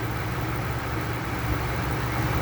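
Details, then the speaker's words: 1999 Ford F-250 Super Duty V10 at 268,788 miles, idling after a blown #10 spark plug and a full plug change to Bosch Platinum +2 4304. A deep, even rumble with steady loudness and no misses or ticks. "Well, she's purring like a kitten, running smooth, no lift or tap, sounds good."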